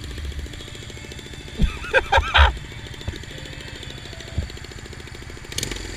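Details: Loose, fallen-off header nuts on a Honda Rebel 250 single-cylinder cause an exhaust header leak: sharp puffing chuff on every firing at idle, louder when blipped, exhaust escaping at the header.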